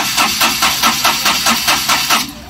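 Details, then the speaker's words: Ashok Leyland Dost BS4 diesel with Bosch EDC17 ECU: starter spins at a steady four or five beats a second, never catches, then drops off. The sensor signal stays about 0.4 V and won't rise, so injector-line diesel pressure is checked next; crank no start from no fuel rail pressure. "हमारा ये voltage नहीं बन रहा है इसको क्या करेंगे हम लोग मैनुअली चेक करेंगे कि क्या डीजल का प्रेशर आ रहा है कि नहीं आ रहा है"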